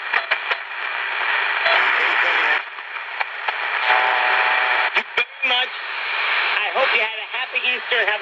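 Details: Candle pocket radio after repair replacing two parts, one found bad, playing around 7pm: clear station audio with voices and a little crackle, steady and unbroken; receiving properly.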